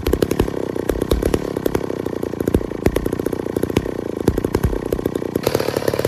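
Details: 1966 McCulloch 250 two-stroke chainsaw, low-hour one-owner saw stored 25-30 years, factory chain: crisp rapid crackle holding steady and rising smoothly under throttle, no stumbling or dropouts; running well until fuel ran out.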